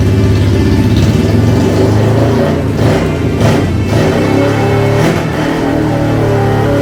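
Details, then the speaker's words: 1971 Honda CL350 twin, unrun for 20–30+ years, kickstarted after its ignition timing was set: it revs up and settles crisp and even, with no misses, knocks or rattles under music; a healthy running engine. "But did you hear how crisp that thing sounds? I mean, who knows how long this has been asleep? I'd say probably 20, 30 years. And she fired right up with the kickstart."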